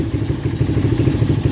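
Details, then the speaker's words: Honda XR 200 (200cc) enduro restarted after more than 8 months in storage, odometer reportedly about 15,000: a low, even single-cylinder thump at steady idle, quiet with no clatter and no leaks, though a slight misfire is noted and a tune-up planned. "E wala pang katagas-tagas. Tahimik na tahimik pa. Ganda pa."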